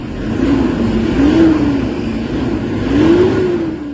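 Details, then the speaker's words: Toyota Hilux D40 diesel, previously low power, throttle delay and turbo actuator issue, after XADO engine treatment: two clean throttle blips, tone climbs and falls smoothly without hesitation; responsive and much improved. "Yung galit niya, marinig mo talaga, ibang iba na kaysa kanina."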